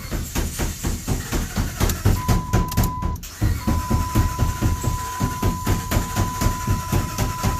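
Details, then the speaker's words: 2007 Dodge Ram 1500 5.7L Hemi crank-no-start: steady rhythmic cranking with short firing catches, runs briefly only while fuel tank is tapped; fuel pump failure confirmed. "so it did run we didn't get on video there but we had it run for like five seconds so that proves that it is a fuel pump as well wrong with this truck"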